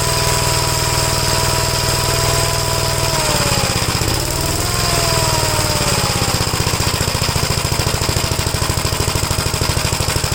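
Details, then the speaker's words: 1957 Gravely single-cylinder tractor running carburetor just adjusted: steady thumping, brief dip then even beat, runs clean and healthy; carburetors were never the problem. "so there was nothing ever wrong with the carburetors I wasted hours and hours trying to mess with the carburetors here"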